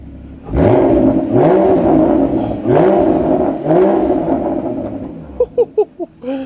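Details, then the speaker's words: Rebuilt crash-damaged Porsche 981 Cayman GT4, slightly warmed up, on ramps: several quick crisp revs rising and falling cleanly, no misses or rattles; sounds healthy. "that sounds absolutely incredible incredible so now we've got the outside looking and sounding very nice indeed"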